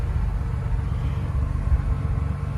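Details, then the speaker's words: 1993 Ford F250 after replacing the ECM, which had caused 13 months of bucking and stalling: steady low rumble with even beat, no stumbles or surges after a touch of gas; smooth idle, no engine lights. "It's running. Touched the gas a little bit. It idled down. Seems pretty smooth. No bucking and chucking"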